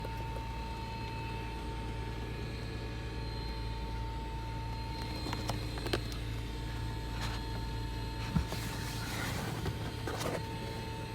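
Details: 2009 Dodge Challenger SE: faint, steady high whine over a low vehicle rumble, coming from the rear driver-side seat area.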